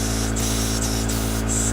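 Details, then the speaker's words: Small live-steam RC boat engine, out-of-the-box reversing valve test, with oil: only steady steam hiss, no piston beat; engine stalled at low pressure after slowing and switching and won't restart, attributed to the engine rather than the valve. "If the engine actually stops, you can see you'll have a problem restarting. Seems to be working better with oil, but at low pressures definitely have a problem starting it"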